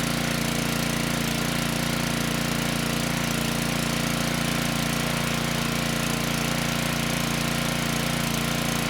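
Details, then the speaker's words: Generac 5500 W WheelHouse generator with Briggs engine 204412-0142-E1, after replacing the ignition coil: steady even drone with a regular firing beat, no misses. It starts and stays running under power; output is 123 V, though engine speed is slightly slow. "This time the engine started and stayed running. The engine sounds good and we're making power."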